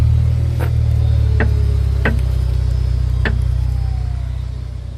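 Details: Four sharp, uneven suspension knocks as a 2005 BMW 330ci rolls slowly onto an angled driveway, plus a single knock on sharper turns as weight shifts side to side; several mechanics have not found the cause.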